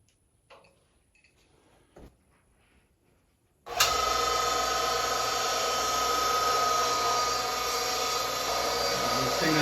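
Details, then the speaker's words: Vertical well jet pump after a seal repair, primed with bucket water: quiet, then it kicks on with a steady, even whine and constant motor hum. Pressure jumps up with no leaks, so it is running normally. "pressure jump up there that's what we're looking for glory to god i don't see any leaks right now"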